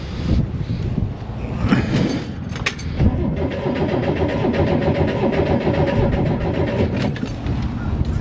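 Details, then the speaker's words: 1969 Corvair (paperwork says 69) flat-six, unrun for years: starter turns it over steadily but it never catches; fuel pump pulls 5 in of vacuum, so out of gas, a line problem or clogged tank sock suspected. "yep you got 5 in of vacuum so the fuel pump's doing something it's either out of gas problem with a line or or something in the tanks restricting"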